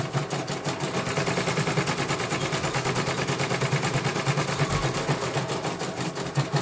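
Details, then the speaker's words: CNY computer embroidery machine whose motor previously wouldn't turn at all, now after service stitching a test design; quick even needle clatter about three stitches a second, steady rhythm, no knocking or grinding; one color finished, working normally. "Selesai satu warna. Kalau ini bagus sekali, langsung saya tutup saja ya."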